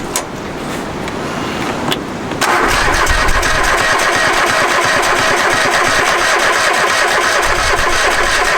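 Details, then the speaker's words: Free Craftsman riding mower, reportedly non-running, with a newly installed battery: brief cranking, then it catches at once and settles into a steady, even run. It starts normally; the fault was the missing battery. "Well, that's awesome because he said it didn't run. Yeah. Sure enough, battery issue."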